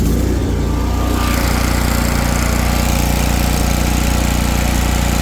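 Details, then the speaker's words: Exmark Lazer Z 52-inch commercial zero-turn mower with Kohler Command Pro (believed 24 hp), just started on choke: deep, even thumping idle, no misfires, hunting, rattles, smoke or shaking; idling smoothly. "smoke, no shaking, I'll have it down for you. Just runs super smooth."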